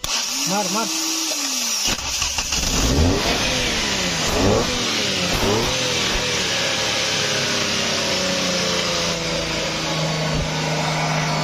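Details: Maruti Suzuki car long parked with rat-chewed wiring and a faulty starter motor whose pinion engaged but would not turn the engine. Started by direct terminal feed, the starter whirrs, then the petrol engine catches, revs a couple of times and settles into a steady, even run.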